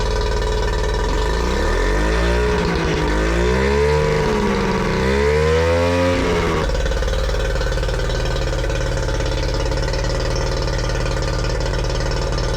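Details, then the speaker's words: Yamaha 40 hp two-stroke outboard after replacing cracked fuel lines (had cut out under load, rough idle): revs up and down smoothly, settles to even idle; healthy, no problems at high revs. "Everything was back to normal. Engine was healthy, was going in high revs, not had any problems um under big loads, you know, when when when you're cruising."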